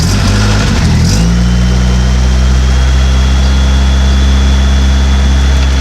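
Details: Model A hot rod coupe with Duraspark ignition, after replacing the blown 30 A coil fuse that caused a dead-ignition tow home: cranks briefly, fires, then holds a deep, steady idle with no stumble or miss; spark restored, coil still suspect.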